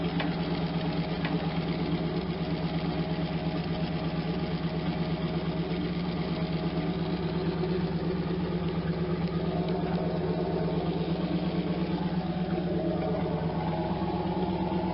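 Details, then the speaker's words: 1992 Camaro Z28 with a stock L98 350 V8 and the stock muffler, before the swap: a steady low idle with a faint ticking puff on each pulse, from an exhaust leak where the owner has been working. "it's got a little tap cuz it's leaking out right here where we've enough where I've been working on but it doesn't sound bad for stock"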